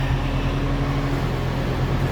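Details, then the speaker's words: Outdoor unit of a 2-stage central AC at a rental property runs right after the disconnect is plugged back in, having been miswired so it wasn't running; even low hum, steady pitch, faint fan whoosh, no rattle or buzz; normal running. "Voila! I plugged the disconnect in and it immediately started running."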